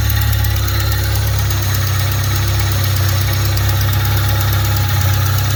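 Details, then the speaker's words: Fiat Punto after swapping 1.2 8V for Fiat FIRE 1.4 8V engine, first start, alternator belt came off: heavy low idle drone with faint rough scraping on top; owner suspects a rub between engine and gearbox, unconfirmed. "Muuten toimii hyvin, mutta kuuluu tuommoinen ihme hinkkausta ääni ja se kuuluu niinku jostakin tota. Tuolta. Jostakin tuolta ne kuuluu."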